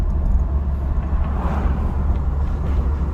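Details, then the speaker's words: 2004 GMC Envoy inline-six, 251K miles, road test after front drivetrain work: low road rumble, no grinding, noise or whine from the front end; brakes good, quiet over bumps (slight grinding only reported later in 4x4). "So far so good. I don't hear any noise, any grinding or anything."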